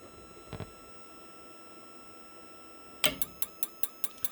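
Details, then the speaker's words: RV propane water heater, 12 V applied to the orange wire, pin one of the four-pin connector: quiet pause, then sharp regular ticks about five per second from the igniter; it sparks but no flame lights, and the controller senses the failed ignition. "it sensed one time it says hey the flame didn't ignite now keep it on said wait a minute it's the second time see the spark down in there"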